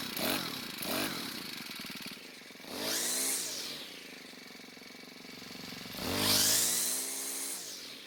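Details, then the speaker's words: Cub Cadet four-stroke trimmer, idle speed raised: surges up in pitch, sags between bursts, then stalls. Lean mixture; planned fix is turning the hidden carb screw half a turn counterclockwise. "so what was running pretty well but it did stop on its own which means we might have to make a quick adjustment to the carb"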